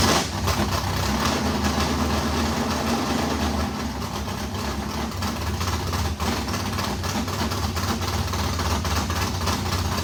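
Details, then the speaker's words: Race modified V8 first start after months of work, new Edelbrock fuel pump: deep, choppy cammed idle holding steady without stalling; runs fine, water pump gasket leaking on passenger side. "well how about that it runs"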